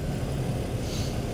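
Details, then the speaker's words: BMW 325i, believed 2005, idling with P0300 and cylinder 2 misfire, intermittent: lumpy uneven low thrum, dead miss; coil back-probed with attenuator, compared against known-good cylinder 1. "Now it's, as you can hear, it's already a dead miss. You can probably hear it."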